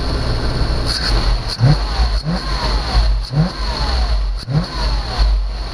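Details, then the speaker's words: 1991 Chevy Caprice V8 auction car, freshly revived after running out of gas: quick throttle blips rise and fall cleanly with a strong even exhaust note and no knock; it smokes a little, otherwise healthy. "let's try revving it up this thing sounds awesome oh it smokes a little bit"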